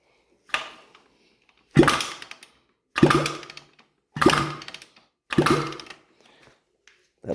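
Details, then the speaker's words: 2007 Honda CRF150RB dirt bike after reassembly, valves set 0.15 intake and 0.25 exhaust: five sharp kick-over bursts each with light click as compression releases; normal decompressor clicking. "clicking sound that you're hearing that's the compression relief valve so it appears to be working"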